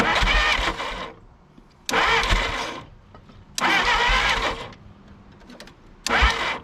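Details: 1951 Willys CJ3A Jeep, last tagged 1969 and off the road about 52 years, fuel poured directly into the engine as a makeshift supply: repeated cranking bursts, engine coughing and trying to catch, then smoking; owner suspects it flooded. Sputtering start.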